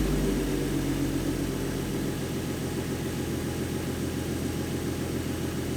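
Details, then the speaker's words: 2014 Ford Mustang 3.7 V6 after replacing failed water pump with new-design version: smooth, even idle with steady low drone, previous knocking and grinding gone; normal idle after repair. "she sounds healthy it sounds better than it did before so yeah guys the water pump did get rid of the noise"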